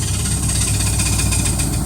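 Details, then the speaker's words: 1980 Camaro V8 with a newly installed computerized Fi-Tech fuel-injected carburetor, idle screw backed out, exhaust leak still present: deep, even rumble with steady pulse, perfect idle with no hunting or misfire; minor flexplate touching starter gear noise noted as unimportant. "but this is just a test of the new fuel-injected carburetor computerized that's perfect idle"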